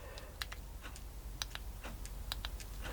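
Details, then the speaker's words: Old RC servo on a servo tester powered by an old battery that holds voltage but lacks capacity: faint scattered clicks as the servo tries and fails to turn; weak battery cannot supply enough current. "hasn't got enough power to turn the servo see so although it is holding the voltage this is what I was trying to say to you lot the other day although it is holding the voltage it hasn't got enough actual capacity"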